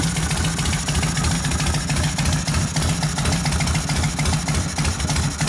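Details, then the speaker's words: 1972 Harley XL Ironhead Sportster bobber, engine rebuilt after wasted pistons and pinion bushing, kick-started cold after sitting: lumpy but regular V-twin beat, three to four pulses a second, no ticking or clatter; idle should rise when warm. "When it warms up, that'll go up. Yeah. Let it warm up."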